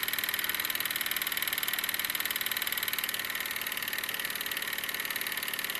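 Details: Wilesco D-18 tabletop steam engine running outdoors, throttled down: even, light chuffing about four beats per second, steady and unhurried; normal smooth running.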